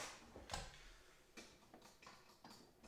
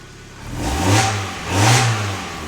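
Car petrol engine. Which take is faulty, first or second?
first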